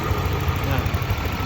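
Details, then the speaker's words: Honda Vario 125 LED scooter after overheating repair (head skimmed, thermostat checked, new water pump, radiator circulation fixed, worn bearing cause of earlier knocking): steady smooth even idle, no ticking or knocking; engine now healthy. "ini adalah suara mesinnya lumayan halus ya haluslah"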